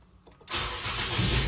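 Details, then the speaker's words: Nissan Grand Livina after fixing DTC P2138 by cleaning and shimming the accelerator pedal position sensor for better contact: start with no pedal, brief crank then immediate steady even idle; no check engine light, healthy start. "Alhamdulillah beres, tidak ada nongol engine check."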